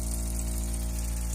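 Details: Iddis kitchen faucet: steady droning low hum at constant pitch while water runs; worn ceramic cartridge suspected, fixed by replacing it.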